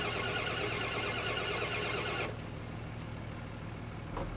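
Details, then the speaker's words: 1997 Ford F350 7.3 diesel with water in the fuel system: steady starter cranking at about four turns a second, spinning evenly but not firing, then cranking stops; it starts rough on the next try. "there going to be a lot of cranking to get through the fuel and the lines the whole injection system is going to be full of water so uh yeah we got a ways to go hope that starter holds out"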